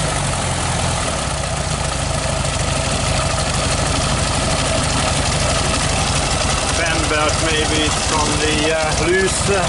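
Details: 1969 VW Beetle 1500cc air-cooled flat-four idling on light choke after a cold start, started on the third try; steady, slightly busy low chatter with no stumbles; healthy normal idle.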